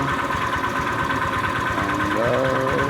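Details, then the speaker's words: Honda Vario 125 scooter just after adding oil treatment; uneven knock about three a second over steady idle; worn connecting rod suspected, engine teardown planned. "Jadi kalau menurut gua oil treatment sama oli 2050 nggak bisa ngobati untuk yang stang seher rusak ya. Jadinya memang harus diganti stang sehernya, dan suara itu juga nggak meredam untuk suaranya, jadi tidak berisik."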